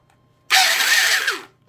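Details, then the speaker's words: Porter Cable 7301 type 2 trim router, possibly dropped with a bit in: a harsh, raspy high whir that spins up and runs for a second, gritty rather than smooth. The lower main bearing is completely shot and needs replacing. "like wow the bearings are just gone on that only paid 12 bucks but now I understand why"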